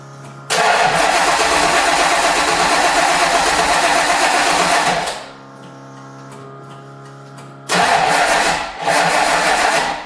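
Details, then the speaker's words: First start of a 1989 Mustang's 351 Windsor V8 with MSD ignition, after reinstalling the engine from the engine stand. Catches, then settles into an uneven, lumpy, stumbling idle; owner suspects oil that leaked from the flipped intake manifold is burning off. "I think there's a some oil that is trying to burn up cuz I noticed there was even oil that was coming out of the top of the intake manifold cuz I had flipped it over. So, I think that's why it's running a little bit rough."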